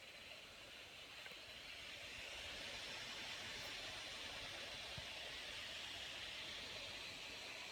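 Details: Lenovo Yoga 900 laptop, processor utilization above 70%: steady high-pitched airy rush at an even level, cooling fan spinning loudly under load.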